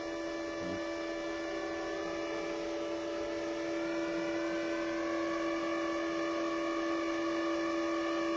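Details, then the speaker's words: Parkside PIFDS 120 A1 flux-core welder with the nozzle removed and wire feed at the maximum setting of 3 gives a steady, high motor whine holding one pitch; normal wire feed at maximum speed. "Et quand on est au maximum sur 3, eh bien ça va beaucoup plus vite."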